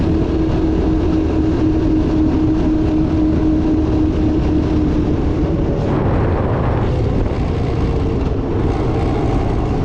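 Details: 1982 Honda ATC 200 "Big Red" three-wheeler after storage, fuel leak and drivetrain chain noise repaired, road test shifting first through fifth gear: strong even engine note pulling steadily, brief rise mid-run, no knocks or misses; healthy running under load.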